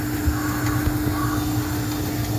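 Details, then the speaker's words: Juma 110 escalator cleaning machine on 45-second auto start cycle, 18 brushes: steady low motor drone with even hum and soft scrubbing, no knocks; brushes working normally. "So you want to understand and hear the machine, you hear the way the brushes are moving."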